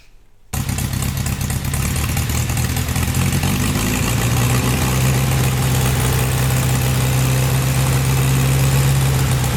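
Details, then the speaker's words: 1926 GP Salmson racing car engine running without exhaust after internal clean-out, fresh oil, original plug leads and refilled coolant: starts promptly, loud steady open-pipe bark, even firing, no rattles, little smoke; leaks only at the front crankshaft, where the oil seal is possibly clogged. "It sounds really good mechanically. There's no rattles. It's lovely. It doesn't smoke that much."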